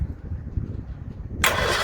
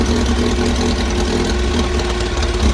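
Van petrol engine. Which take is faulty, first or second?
first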